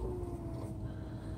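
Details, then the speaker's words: Prime Inc truck lane departure warning tone, triggered by the startup diagnostics after switching the truck off and on. A steady buzzy low drone designed to mimic a rumble strip that warns when the truck drifts over the lane lines; normal warning sound. "and it's designed to sound a little bit just like that sound like the rumble strip so if you drift over the line while you're maybe dozing off it gives you an audible warning that you're dozing off"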